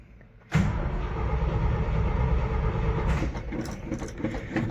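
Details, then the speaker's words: 1973 GMC 6500 twin-screw grain truck, cold start with pedal pumping: steady starter cranking near three turns a second, engine almost catching but not running; truck said to be very cold-blooded, carburetor suspected. "Needs a little bit more pumpy pump. This truck, I've been told, is incredibly cold-blooded."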